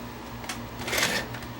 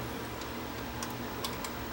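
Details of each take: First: JVC HR-S7600 VCR after installing an emulator board to defeat the dynamic drum circuitry (failing drum gears had caused shutdown): quiet whirring and light clicks as the tape mechanism loads and plays without shutting down, operating normally. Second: JVC HR-S7600 VCR with failing dynamic drum gears: sharp, light ticks about twice a second over a steady low motor hum, heard after switching tape speed, with alignment thrown off.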